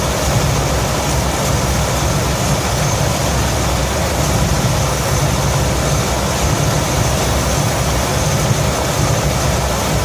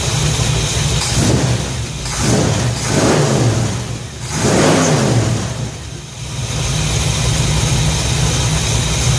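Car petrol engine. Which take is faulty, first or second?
first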